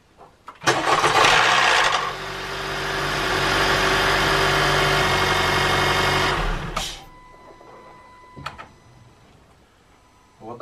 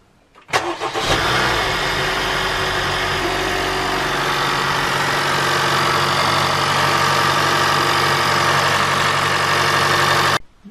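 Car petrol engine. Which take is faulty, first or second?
first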